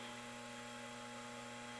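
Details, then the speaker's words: 1970s bathroom exhaust fan in a relative's house; the light fitting uses normal bulbs, not fluorescent, yet gives a constant low mains-pitched buzzy hum with no obvious cause. Electrical hum. "Okay, here's the second exhaust fan in my auntie and uncle's house. And for some reason that light likes to hum."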